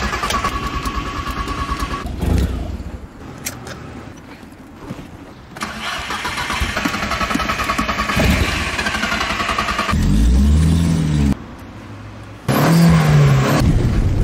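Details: Old classic VW Jetta, cold start, driver pumping pedals, flooded engine suspected: starter churns steadily at three to four beats a second in long bursts but never catches; extended cranking, no start, cause not confirmed.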